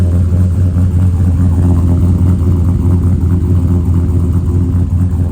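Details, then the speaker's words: Chevy truck V8 with a newly installed transmission, FTI 3200 stall converter and NP149 transfer case, cold start after sitting a few days: smooth, even rumble at raised idle, no ticks, knocks or exhaust leak puffing; healthy. "Right now it's a cold start, so yeah, it's going to be revved up or whatever because it has been running in a few days."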